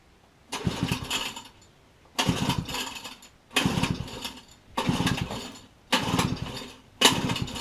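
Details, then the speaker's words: Pit bike, recoil pull-start spring just re-coiled and refitted: five pulls spin the engine with a short rasp but it never fires; cause unknown, owner plans to drain and replace petrol and oil. "So unfortunately it's not starting. I'm not actually too sure where to go next with this."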